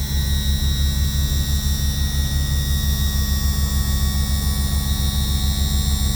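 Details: Yamaha F300 outboard on a Grady-White 307, cold 42°F day, after trim seal replacement and bleeding: steady, even electric trim pump whir with no gurgling or surging; smooth, properly bled, normal power trim operation.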